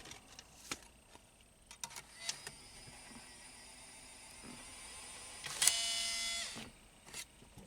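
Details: 2003 Pontiac Grand Am GT CD player: a few scattered clicks, then a second-long high whirring buzz as a disc is inserted; CD player does not work, loading mechanism faulty.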